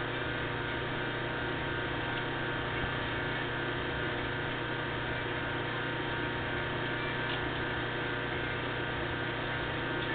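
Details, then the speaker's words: 1/4 hp electric motor made in Cleveland, Ohio, ungrounded black and white wiring, pulley fitted, plugged in: steady low hum, faint even tone, no rubbing, ticking or grinding, shaft turning clockwise; runs smooth and quiet, suits a fan motor. "runs pretty smooth and quiet here we go shaft is turning clockwise I do believe make a nice little fan motor"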